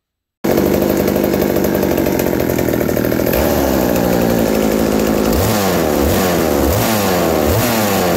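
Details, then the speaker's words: McCulloch 790 MC101 chainsaw with Walbro WB37 carburetor on adapter, bar and chain fitted: crisp two-stroke note, idle drops slightly with chain creeping, clean even blips; running healthy. "after putting the bar and chain on it the idle drops slightly but it's perfect right there the chain just bumps forward a little bit and everything"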